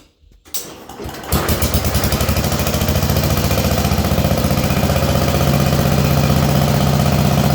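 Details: Allis Chalmers B210 garden tractor, unused about a year, after battery charge, fresh fuel and carburetor bowl dropped: short crank, catches quickly, settles into steady even low putter, no misses or knocks; healthy idle.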